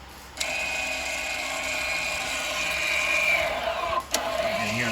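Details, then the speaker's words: VW Tiguan rear electric parking brake calipers being closed by scan tool after a rear brake pad change: steady mid-pitched electric whine for about four seconds, then stops cleanly; motors winding up normally. "winding up cool wait the Whole 30 second thing again and after that that's the brake job complete"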